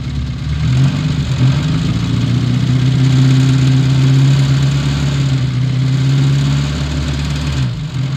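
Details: Old Austin Mini Cooper with Lucas/MSD ignition, just after first start following a no-start: uneven, lumpy engine note with wavering drone and throttle blips, running rough while untuned; distributor and fuel adjustment later smoothed it out.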